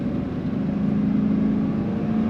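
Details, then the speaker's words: 2000 Chevrolet Silverado 2500HD extended cab 4x4, V8, automatic, under 75,000 miles, accelerating on a drive, still warming up: deep, even drone under load, no misses, knocks or rattles; oil pressure 60–70 psi, runs smoothly. "acceleration, smooth running truck, sounds good."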